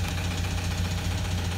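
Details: 2007 Toyota Land Cruiser Prado 120 diesel, 230k, cold start: steady, fast knock over the diesel clatter. Suspected oil-starvation bottom-end damage, with injector feedback for cylinders one and two off; engine near dead.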